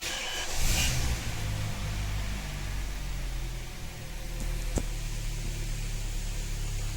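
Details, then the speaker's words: Kia Optima with G4KE 2.4 engine, first start after its third major rebuild (knock had appeared after the second): catches and settles to a smooth, steady low idle with no knocking, tapping or extraneous noise. "а так никаких посторонних звуков и шумов нету"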